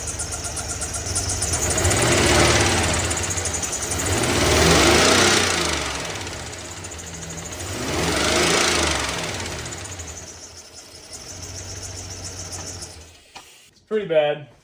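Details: 2007 Chevy Silverado V8 at idle: quick steady tapping from the top end, a lifter tick suspected at cylinder six and maybe eight, plus some belt noise from the tensioner; lifters to be replaced.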